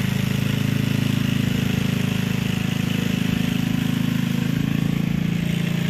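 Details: Gilson rear-tine tiller, a junkyard find from 4–5 years back, test run after cleaning dirt out of the sticky recoil. The single-cylinder engine pulls steadily under tilling load with an even thump and no misses or surging. Runs fine. A fuel leak was noted at the tank/carburetor seam.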